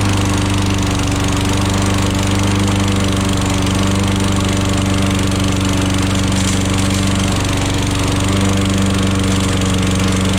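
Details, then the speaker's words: Old Toro lawnmower that sat for years, restarted with fresh fuel and primer: loud, even single-cylinder drone at steady speed, constant firing beat, no misses; runs properly, though the float is suspected sticking and leaking fuel. "she fired right up oh yeah that's it folks"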